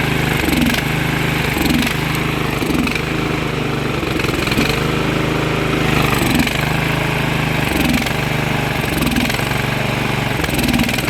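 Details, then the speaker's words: Briggs & Stratton Vanguard engine after carburetor work, slightly low on oil: runs fairly steady with a slight periodic sag about every second; owner says fuel flow is poor because the fuel line is too long. Fuel starvation from overlong fuel line. "The only reason it's doing that, it's not getting proper fuel flow because this line's too long"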